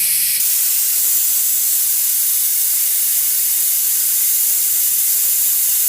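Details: Husky air compressor: a constant high, sharp hiss with no pulsing or motor sound, steady throughout. Air is escaping, suspected at the pressure switch.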